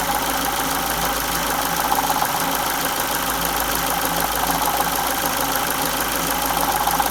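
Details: 2002 Ford Focus Mk1 1.6 Sigma/Zetec SE at 205k, timing belt replaced at 168k: light uneven top-end chattering rattle over smooth idle, amplitude changes with revs; owner suspects timing belt tensioner, not confirmed.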